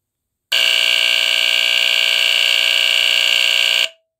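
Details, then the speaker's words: Vintage NuTone-branded Gentex photoelectric smoke detector (circa 1974-1980, red LED beam), tested by turning sensitivity up; its Edwards squealer horn gives a very loud, raspy, fast-pulsing buzz, modulated by AC power, for over three seconds, then cuts off cleanly. Normal horn. "okay so it's a very raspy sounding you know very raspy sounding buzz that it makes"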